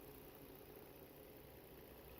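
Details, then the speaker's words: 2011 Volvo XC60 3.2 petrol six with misfire codes P0302/P0304, lean P2096: steady even idle hum after swapping the ignition coil, engine now smooth, no stumbles. "See, can you hear the change? There you go. And now the engine sounds smooth."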